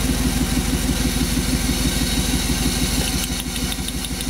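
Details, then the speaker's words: 1998 Chevy Van 5.7 V8 with multiple misfires, cylinder drop test using a test light: lumpy idle with spark snaps and no RPM drop on this cylinder, so it is dead. Suspects are a bad wire, compression, injector or spark plug. "Could be a bad wire, could be bad compression, could be an injector in that cylinder, could be a spark plug."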